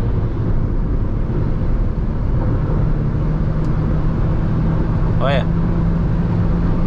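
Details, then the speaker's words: Jeep Renegade T270 cabin at highway speed, about 110 to 140 km/h. A loud, steady, rhythmless roar fills the interior from excessive wind noise getting in; the source has not been found. "ó o barulho. eu não sei o motivo que dá esse barulho. É muito alto."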